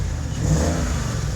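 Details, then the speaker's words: BMW M62TU V8 running after timing chain guide replacement, with dual exhaust; deep, even rumble with a smooth steady beat and a light rev, no ticking or rattle, runs good. "If you're wondering why that sounds nice, it's a nice sounding BMW."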